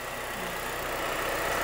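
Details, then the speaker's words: 2005 Honda Element with newly installed replacement engine and new exhaust, first run after the swap: quiet, even idle with a soft steady hum, no ticking or knocking, settling in; only one cooling fan came on. Normal idle. "anyway um it runs and idle's fine only one of the cooling fans came on"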